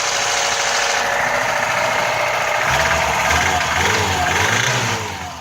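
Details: VAZ 2105 engine: a knock of about four beats a second runs through the idle and quickens as revs rise; source unclear; engine knock.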